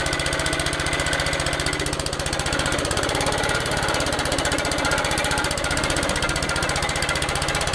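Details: Old Suffolk Punch 43S lawnmower, revived after being bought non-running, cutting grass: fast, even single-cylinder beat holding steady, no misses or hunting; normal running under load, later cut out from lack of fuel, carb clean probably needed.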